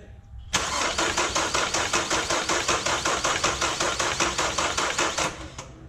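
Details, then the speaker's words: Kia Soul after the head was refitted, on a weakening battery: it cranks evenly for about five seconds but never fires. Owner suspects a security key issue, as the security light stays on. Crank, no start. "some of the batteries getting weak so as it sits right now the Kia Soul still won't start although everything is turning properly everything sounds good that way it doesn't seem like that's getting any fire"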